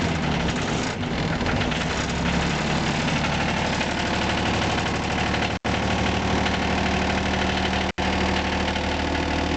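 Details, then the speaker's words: John Deere 455 diesel tractor, cold start at about two degrees after the glow heater cycles off: a steady, even diesel clatter holds a smooth idle with no misses or knocking. A normal cold start idle. "here's my john deere 455 diesel i'm gonna fire it up here in a minute cold start see if she'll fire up or let's see let's see what happens"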